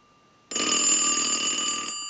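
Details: Western Electric glow phone after repair, ring cycle started from an analyzer, ringer volume control at the back working: a clean, steady bell ring for about a second and a half, bright and even with no buzz or rattle. The ringer works properly.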